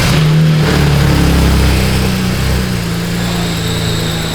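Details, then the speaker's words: BMW 335i with N54 engine, big turbo, about 600 hp, after removing leaking part and refitting oil filler cap: strong steady engine note easing down from a rev to an even run, no knocks or squeals; healthy running. "turbo noises are the coolest thing in the world and as loud as this one is oh my gosh"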